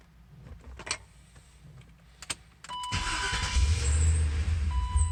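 Quiet stretch, then the starter spins the engine with a steady churning drone that never catches and runs up; cranks without firing.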